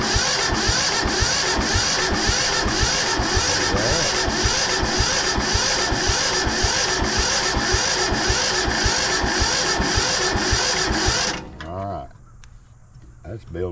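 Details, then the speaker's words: Yanmar 1500 two-wheel-drive diesel tractor reported not to run: steady rhythmic cranking at about two beats a second with no catch or firing while checking whether injector lines build fuel pressure; cranks but won't start, cause suspected, not confirmed. "And we're going to go ahead and crank it a minute, and then we're going to open one of these up, see if it's building any pressure."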